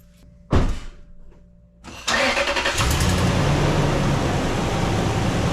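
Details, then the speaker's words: 2006 Toyota 4Runner 2UZ-FE V8 after timing belt, water pump, tensioner, idlers, serpentine belt, alternator, radiator, hoses and coolant replaced: short crank, catches at once, smooth even idle, no knocks or misses; normal start and idle. "All right, so aside from hearing the engine run really well and fire right up, my favorite part of a timing belt job is to put the sticker on."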